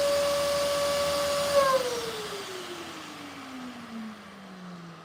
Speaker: Whatever, I'm gonna pick it up with the vacuum. My vacuum just died.